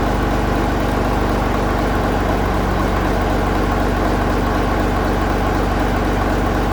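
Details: 1965 Gardner 6LXB 180 six-cylinder marine diesel, out of its boat on a temporary cooling system, first test run after restoration following failure at 80 hours: even, regular beat at about four pulses a second, no knocks or rattles; healthy running.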